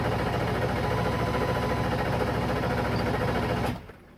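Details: 7.3 diesel cranks steadily at about three and a half beats a second but never catches or fires, then cranking stops: crank no start.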